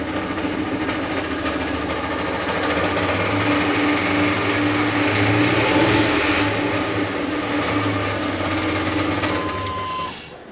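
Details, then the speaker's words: LS-swapped truck: rough clatter from underneath, about three to four knocks a second, worse with revs, giving a shake felt through motor and drivetrain. "So you just hear it's got that kick to it. It's, you know, really annoying. Gives you a shake while you're driving. You feel it in the motor and the drivetrain."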